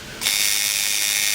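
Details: Tattoo machine shader tuned by nickel/dime gap method, power pack at about 13: fast, steady, even buzz starting cleanly with constant pitch and no stutter; runs smooth and well tuned.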